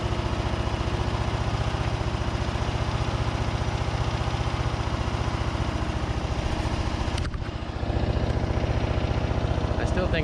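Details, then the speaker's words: Craftsman DYT4000 riding mower, Briggs & Stratton single-cylinder engine with new fuel pump and deck belt, after deck engagement: steady thumping around 220 per minute, mostly smooth with faint unevenness. Slightly uneven running; owner says the carb still needs work. "carb needs a little bit of work but you guys can hear it's running a lot better and a lot smoother"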